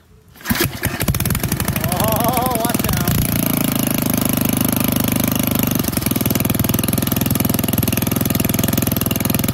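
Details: Old auction-bought Montgomery Ward tiller being tested to see if it runs (one belt found off its sheave): started on full choke, then choke off; after a rough catch the single-cylinder settles into a steady, even chug with no misses. Running normally.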